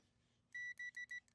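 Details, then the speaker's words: Power Trac PT 1850 diesel mower/tractor, multimeter continuity test on the old 50 amp fuse: four sharp high beeps the instant the probes touch; fuse still good, though being replaced due to age. "see that one's got I'm barely touching and it's it's screaming already so it's still good"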